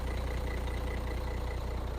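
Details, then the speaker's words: 2003 Foden Alpha truck, Cummins diesel, just washed: even, steady diesel knock at idle with smooth regular beat, no odd ticks or rattles; starts easily and idles healthy. "I'm going to start her up and make sure uh she's still starts and you can hear her in all of her glory and see her oh she starts all right no problem there at all"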